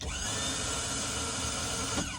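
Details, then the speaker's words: 2003 Bayliner 215 Bowrider sterndrive, trim switch pressed to lower the outdrive all the way down: a steady, high electric whir with pump hum, then winding down. The power trim works normally. "So, with that said, okay, this is your trim down. We'll take your out drive all the way down. All right. So, hear it working."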